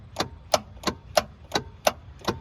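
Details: 2007 Yamaha G29 golf cart no-start, key on: sharp, even clicks about three per second with no cranking; solenoid is switching, but the cable to the starter is broken.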